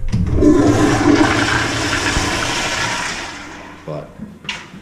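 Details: Movie theater toilets flushed after the sewer line was cleared with an electric snake: strong rushing flush that swirls down and drains quickly with no gurgling or backing up; line flowing freely.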